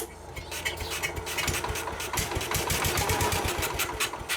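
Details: Case 222 lawn garden tractor, sat for years, half throttle with starting fluid: starter turns the engine in a quick uneven chug with sharp clatter; cranks but never catches, no start.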